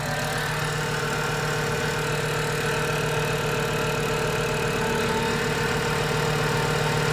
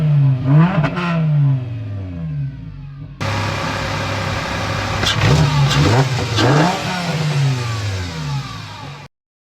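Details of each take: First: VW Mk6 Jetta 2.5L five-cylinder, fresh engine and 02Q six-speed swap, first start just after adding oil: steady idle with a faint thin high chirp; a belt or pulley is squeaking, owner suspects the lip pulley. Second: VW Mk6 Jetta 2.5L five-cylinder after fresh engine and 02Q six-speed swap, warm after idling overnight and morning: several quick throttle blips rise and fall cleanly and settle to steady idle; engine revs freely, sounds healthy.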